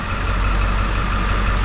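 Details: 2007 Ford F450 with swapped-in 7.3 Powerstroke diesel idling after under valve cover harness replacement fixed a cylinder 5 miss. Even, low clatter with no stumble or shake in the rhythm; all cylinders firing cleanly. Normal idle.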